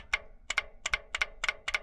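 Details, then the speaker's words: 2002 Toyota RAV4, U140F automatic transaxle with a P0758 shift solenoid B code. Solenoid tested with 12 V while in the case gives crisp paired clicks, six in two seconds. All solenoids tested good, so the code is not a solenoid fault. Normal solenoid click. "that's the solenoid working"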